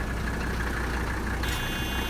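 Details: 1985 Mercedes 300D diesel, daily driven about 300 miles a week, idling with AC on: steady smooth low clatter with faint AC fan hum, healthy; normal diesel idle.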